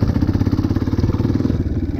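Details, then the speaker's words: Dirt bike shifted up through first to fourth gear too early: engine lugs at too low rpm under load, slow heavy chugging with clicking, clattery knocks. "so first gear and second gear third gear fourth gear you can hear the engine clicking and clacking harder"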